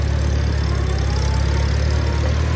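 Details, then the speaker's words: 1952 Farmall Super C on a test drive in gear after nine years idle, with a rebuilt starter. A steady, even low engine drone with no knocks or misses: smooth under load. "super smooth, super smooth."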